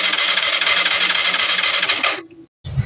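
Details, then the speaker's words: Yamaha Mio Sporty scooter that cranks but won't start: starter spins about two seconds with no firing; spark confirmed at the high tension wire, fault later traced to a clogged carburetor. "kapag ganito yung issue puro redondo lang at Ayaw umandar ang una nating ginagawa diyan eh pagche-check ng spark plug yung high tension wire kung may lumalabas na kuryente"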